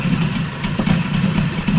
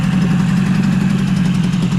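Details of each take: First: Yamaha 20A two-stroke outboard (1972–1978), about 50 years old, running cold after a service: uneven, smoky idle that seems a little high, then sags and surges, and it later stalls. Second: Yamaha 20A two-stroke outboard, 1972–1978, code 653, short leg, after full service: even, buzzy idle at steady pitch with no misses or knocks; running clean and healthy.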